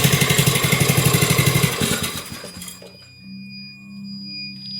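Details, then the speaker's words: Poulan riding mower engine that needs a head and head gasket, run briefly from cold with the kill wire unhooked: even rapid thumping about four per second, then it stumbles and chuffs out as the carburetor bottom valve shuts it off. "You can tell by the way it hesitates that the kill wire is not hooked up. It's shutting it off with the valve on the bottom of the carburetor."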